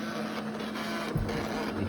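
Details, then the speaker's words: Eufy RoboVac side brush motor lacking power to turn the brushes, giving a strained uneven whirring hum with faint buzz. It is labouring and losing speed compared with the working motor, so the motor is failing. "even hear the motor struggling to go compared to the other ones turning"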